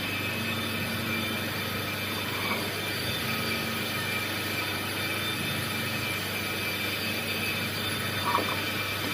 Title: #Car disc#brake sound #problem#solved